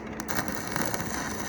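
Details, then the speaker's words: iWELD MMA2001 stick welder (about 200 A, current meter reads up to about 212) brought in for only welding at full power; on test, current adjusts low to high, with a steady, even frying crackle and no sputtering; suspected fault in the control board. "ลองดูครับเบานะครับเบานี่เบานะอันนี้แรงนะครับเนี่ยก็โอเคนะครับก็สามารถเชื่อมแรงเบาได้ซึ่งตัวที่เสียก็น่าจะอยู่ที่แผงตั้งนะครับ"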